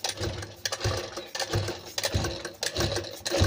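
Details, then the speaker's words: Sewing machine run at speed clatters with loose rattly knocks about one and a half a second, quieter when run slowly; attributed to lack of oil, dry mechanism; needle touching shuttle also noted as a possible knock cause. "तो आपको समझ लेना है कि इसमें machine के यल की वजह से यह मशीन आवाज कर रही है"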